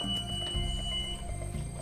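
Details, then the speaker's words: School bus pre-trip inspection with the engine idling: the emergency window exit is opened and a steady high-pitched buzzer sounds as the window opens freely, so the emergency exit alarm works normally. "Again, checking the seats and the emergency window exits. Buzzer, and the window opens freely."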